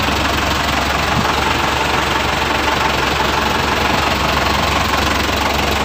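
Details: Toyota Dyna Rino truck with B12 diesel engine, first start after overhaul and reassembly: even, continuous diesel clatter at steady idle with no knocks standing out; normal running.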